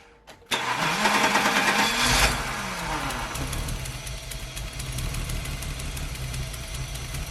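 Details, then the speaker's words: E30 BMW 323i Baur, first start after 10 years sitting, fuel tank blocked: starting fluid sprayed into throttle body, after a click it bursts into life, revs unevenly, then fades; runs only on spray. "I've got a fresh can of starting fluid here. Got a new one this time, and I'm just going to fire it into that throttle body and just let it run for a little bit."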